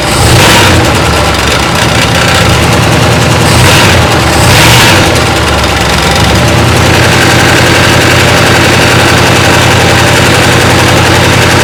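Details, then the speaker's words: 1962 Chrysler 361 big-block after long storage with no oil pressure (oil pump suspected of losing prime): loud, uneven lumpy idle with irregular gallop and clattery top end; suspected no oil reaching rocker arms, possible stuck valve or dry power steering pump. "just sounds like I'm not getting any oil up to the rocker arms you take the valve cover off see what we got going on"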